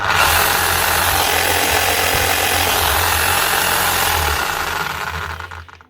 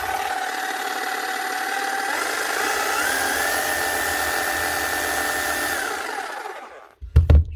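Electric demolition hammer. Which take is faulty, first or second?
first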